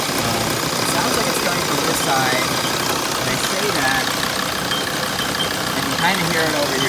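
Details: 2006 T1N diesel idling with a loose, uneven rattle over the clatter, not locked to a clear beat; rattle at idle, source unclear.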